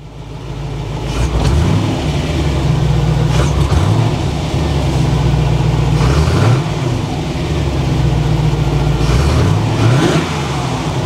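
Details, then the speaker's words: Barn-find Corvette C4 ZR-1 after removing and checking the Bilstein Selective Ride Control dampers, changing the O2 sensors and fitting a Marc Heibeck Performance chip, full power light on. It revs up and falls smoothly through several blips with no misfire, stumble or knock, sounding healthy. Owner thinks it has to calibrate itself and notes a slight bog just off idle. "That sounds pretty sweet. I think it has to calibrate itself."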